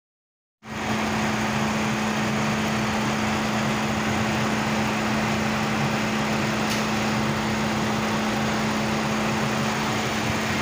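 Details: Mercedes-Benz SLK after P0302 misfire repair, coils checked good and old worn spark plugs replaced: smooth, even idle with steady hum and no missing beats or stumbles.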